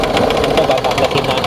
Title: bigla ng engine knocking noise ito ang dahilan